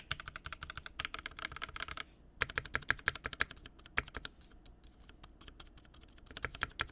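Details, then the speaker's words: Garbage Truck mechanical keyboard rebuilt with a new POM plate and Mint switches: crisp, uneven key clacks in quick bursts with clean thocks and no buzzing or rattling afterward; normal typing sound, rattle gone. "no rattle we're good [Music] awesome that sounds much much better awesome okay I feel much better about this board now"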